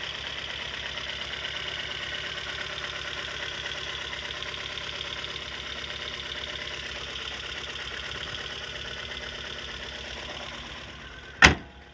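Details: Lada Kalina at 50,000 km, check engine light on: uneven idle with a faint tapping and occasional stumble; engine knock with misfires, cause not yet determined.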